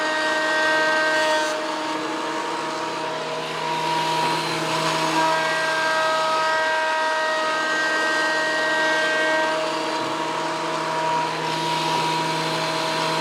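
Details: WEN PL1326 15-amp 13-inch spiral benchtop thickness planer, after repair of misuse damage (replacement knives and bevel gear set used), planing a bigger board over several passes: steady high whine with a constant cutting hum, no knocks or chatter; cutting cleanly, within 0.002 in thickness.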